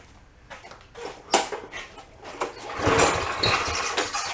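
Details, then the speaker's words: Push mower that wouldn't start, being pull-started: irregular pops and sputters, never settling into steady running; carburetor float stuck, overflowing and flooding, running rich. "I see the float is stuck and it's overflowing and letting out the flooding it out definitely running Richie"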